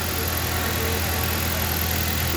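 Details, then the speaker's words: 2013 Jeep Compass that would not start and blew fuse 23 (ASD circuit feeding coils); shorted capacitor behind engine unplugged, now runs: even, steady idle hum under constant hiss, no misfire or stumble; normal idle after repair. "Ahí lo desconectamos, ya encendió en el carro."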